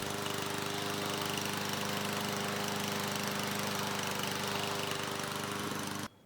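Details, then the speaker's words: New PowerSmart DV8621S 170cc 21-inch self-propelled gas mower, after starting on the first pull: steady, even buzz for six seconds before cutting off, no misses or knocks; normal running. "So it started on the first pull. That's always a good sign, and the engine sounds good."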